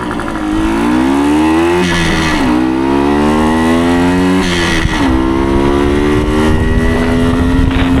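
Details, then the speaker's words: 1975 Suzuki TS125 Duster two-stroke after a carb clean and reassembly: crisp revs climb and fall cleanly through the whole rpm range with no bogging, and the engine is mechanically quiet. Normal revving. "nice you rev that clean all through the RPM range awesome"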